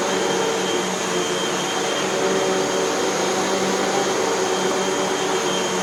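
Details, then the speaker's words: Hoover WindTunnel 2 Whole House Elite upright vacuum after repair (two brushroll bearings, new belt, cleaning, three feeder tube patches): smooth, steady motor roar at constant pitch, no rattles, squeals or surging. Normal running after repair. "and we have a machine that works just fine as far as i can tell let's take it for a test run so"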